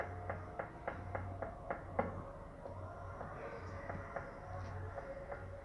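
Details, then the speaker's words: Kia Sorento on a lift, steering rocked: sharp dry knocks about three or four a second; worn inner tie rod (axial) joint at the steering rack connection. "Esse barulho tá vindo aqui da barra axial. O que acontece galera? Ó o barulho. Tá seco, galera, aqui, ó, bem aqui na conexão aqui da caixa, nesse bracinho axial."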